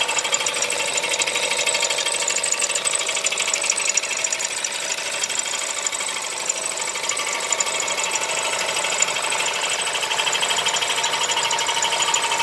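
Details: Audi A4 B8 1.8 TFSI at idle: sharp metallic ticking, roughly one and a half knocks a second, over a light idle hum; internal engine knock, source undetermined.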